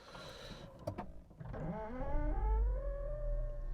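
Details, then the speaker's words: Audi A3 Saloon S Line, 1.5 litre 150 hp turbo petrol with 48V mild hybrid, just started: offside door mirror fold motor creaks and groans, a short rising wavering tone about two seconds; mirror motor groan. "That noise you can hear is the offside door mirror. Yeah, it kind of creaks and groans when you open or close it."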